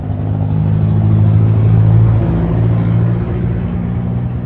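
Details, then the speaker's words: Honda Revo Absolute small single after replacing a worn cam chain tensioner roller that caused a chattering noise; now runs smooth and even with the chatter gone and no top-end rattle: normal idle. "yang ngemrecek tadi udah hilang, berarti tadi penyebabnya cuma roller ini doang, roller tensioner kampret ini."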